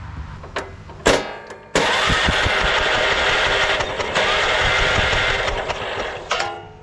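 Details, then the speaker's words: Late-1990s Honda Harmony 1011 ride-on mower cranked by bridging the solenoid: starter spins engine steadily about four seconds but never fires; no spark found, suspected burnt key switch or bad coil. "so no spark I mean it definitely could be something with the key switch you hard to tell if it's really the coil that's bad because we have so many key switch issues"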